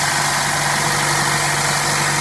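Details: Petrol engine at 100,618 miles idling during PCV valve and valve cover replacement; steady idle with a constant airy hiss over the low engine hum, a vacuum leak hiss.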